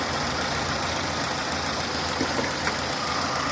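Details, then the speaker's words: Renault on LPG at idle, before injector replacement: steady idle with a fast, light, even ticking like valve tick from the noisy 3-ohm LPG injectors; injectors are not faulty, just loud. "artık kendi son enjektör var biraz sıkıntılı çalışma sorunu var arkadaşlar arızalı değil Enjektörler ama biraz sessiz çalışıyor yani subap sesi gibi bir ses"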